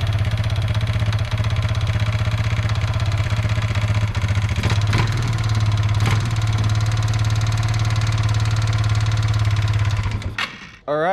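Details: Kawasaki Bayou 220 ATV after wiring repair, fuel line clamp leaking: small single thumps along at a steady, even idle with no misses, then cuts off; healthy running engine.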